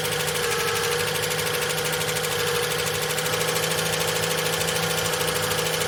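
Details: Long-stored VJ Dodge ute, engine previously stuck, first start with no transmission fitted: a harsh uneven metallic rattle, about three beats a second, over a steady idle hum. Owner suspects the clutch thrust bearing on the pressure plate at the back; the rattle quietens as it runs.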